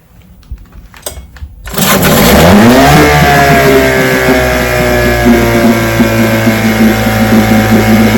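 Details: Vintage restored-then-repaired outboard on Monday of a daily start test: after five pulls failed because the fuel valve was closed, the valve was opened with the engine already primed; it catches after a short crank into an even, steady two-stroke burble with no misses; 5-minute run done.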